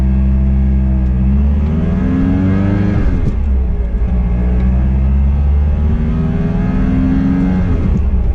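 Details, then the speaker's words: 1988 Pontiac Fiero 2.5 on a road drive: a loud, deep engine drone through two rev pulls, much louder than the day before, with a strained whine at high revs. The owner suspects an exhaust leak, which was later repaired. "it's definitely it's a lot louder and at high revs it's really whiny so that's what leads me to believe I might have an exhaust leak"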